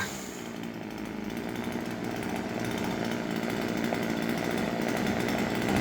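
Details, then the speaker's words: Husqvarna 136 chainsaw after the hardened, broken fuel hose, fuel filter and air filter were replaced and the carburettor adjusted: clean, steady high-rev full-throttle scream with a slight climb, no bogging or break-up; running normally. "Bytte slangen och sågen funkar jättefint."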